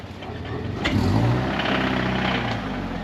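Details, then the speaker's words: Toyota GT86 engine revving with a rough, uneven tapping about four times a second. The knock is suspected in cylinder four, the engine is judged dead and an engine swap is planned: engine knock. "It definitely sounds in the four. Definitely sounds like it's knocking. Yeah, that's definitely this one."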